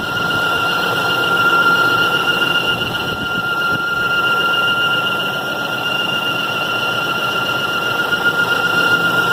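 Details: 2003 Range Rover 4.4L V8 (BMW M62): loud steady high-pitched squeal starting after about 10 minutes of driving, persisting until shut down and cooled; temperature gauge normal; source unknown.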